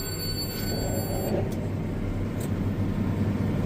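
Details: Round baler behind a tractor baling green feed after a fix for bars catching: steady low drone, bars no longer rattling on the roller, and wrapping with no catching or banging. Runs normally.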